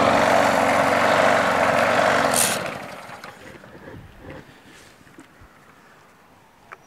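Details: Craftsman push mower after winter storage. Runs briefly at a steady beat then sags and dies within seconds; owner suspects old gas from a tank of unknown cleanliness, adds fresh gas and cleaner.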